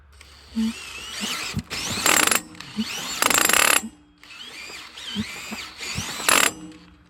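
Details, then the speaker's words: Cordless drill trying to spin over a dual-fuel Champion 10,000-watt starting (8,000 running) generator on gas, choke on, not started in a while: short whining bursts with ratcheting that bog down each time; drill stalls, too small for the job. "yep need a bigger drill for this yeah I'm going drill on oh man that is not good little one"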